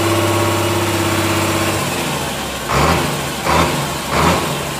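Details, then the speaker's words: Komatsu S6D125 diesel test run after general overhaul (broken piston 5, spun rod bearing 4, crankshaft, liners, turbo, injection pump, nozzles replaced or serviced): steady low idle with air compressor hiss, three clean, smooth throttle blips; normal revving. "Asapnya bro bersih. Ini suara desisan, ini suara ini ya friend, suara air kompresornya ini."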